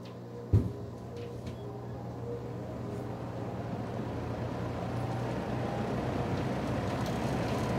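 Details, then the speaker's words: Mid-1970s Lakewood Country Aire P23 box fan, starting on medium speed: clicks on and settles into a steady low hum with a faint light rattle; source unclear. "Has a little bit of rattle."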